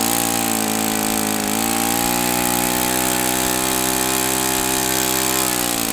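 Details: OS FS-91S II four-stroke model engine, first run, valve lash checked by feel, started at about a quarter throttle: steady high buzzing drone at even pitch with a slight dip and recovery, no misfires; normal running.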